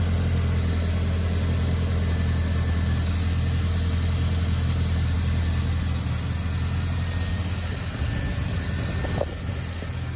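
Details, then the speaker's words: Audi B6 1.8T after replacing a broken idler pulley and resetting serpentine belt tension: starts and settles into a steady, even idle with a smooth low hum and no squeal, chirp or rattle from the belt. "I think everything is working okay. Yeah, guys, we should be good."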